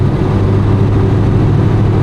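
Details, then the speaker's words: Big, high-overlap cam engine on a Holley Brawler 950 CFM double-pumper carb, car still extremely cold, coming to a stop: a deep, steady burble with no stumble or stalling. It is a normal cold idle. "see here, I'll come to a stop, and the idle is still good. The car is still extremely cold. You know, the idle's fine."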